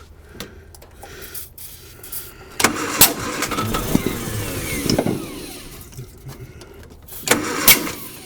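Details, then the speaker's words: 1955 Hudson Metropolitan barn find, dormant 28 years, new coil: ragged firing bursts sputter briefly then fade; runs a moment on starting spray then stalls from lack of fuel, timing judged about right. "okay so from this we're going to know that uh we're going to know that it's not getting fuel right because uh look at it that just ran it was rolling over like it actually wherever the timing's at right now is probably pretty good"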